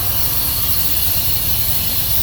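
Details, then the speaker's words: Semi-truck trailer with a steady sharp hiss of escaping air over low engine rumble, from a big crack in the trailer air line. "See that big old crack right there? I'm sure you hear that hissing. It's leaking air."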